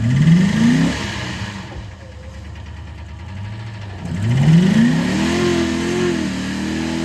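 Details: Ford Explorer 5.0 revved and returned to idle: a deep knock that rises with engine speed, rod knock from a worn rod bearing.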